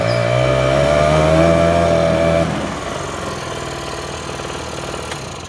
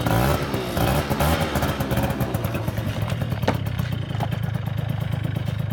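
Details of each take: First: Small two-stroke scooter with a bad front tire, failed electric start relay and dead turn signals: buzzy revs with rising tone, then settles to a fast, even idle; runs normally. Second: Scooter, likely two-stroke, needing a new belt and limited to 37 mph: buzzy idle and blips with a loose metallic rattle over it; cause unclear.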